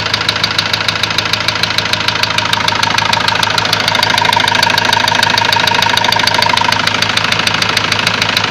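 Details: Ford Transit engine at idle with a sharp, steady metallic knock about three per second; fault codes show high-pressure calibration data and cylinder balance with a leaking injector; knock source not pinned down.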